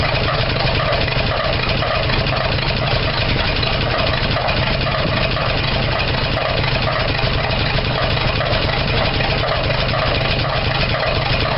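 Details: 1975 Dodge D100 Slant 6, open exhaust, misfiring while timing is advanced: uneven idle with irregular pops and lumpy rhythm; owner suspects a burned valve or leak sucking air, and distributor one tooth off. Rough idle with popping.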